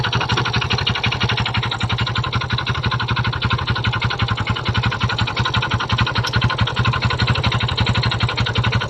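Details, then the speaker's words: Kymco Visar 110 motorcycle before repair: a steady rapid knock at idle, about three a second, comes from inside the engine; connecting rod knock, which was gone after a new crankshaft assembly was fitted. "nais ko m i paririnig sa inyo ang motor niya nng hindi pa natin siya pinalitan ng connecting rod."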